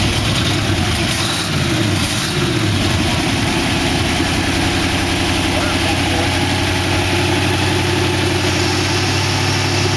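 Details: 1962 Oldsmobile 392 V8 with Hydro transmission in a 1914 Dodge Brothers rat rod, early run with no coolant in it; lifters ticked at first start, then calmed to a steady, even idle rumble; normal idle.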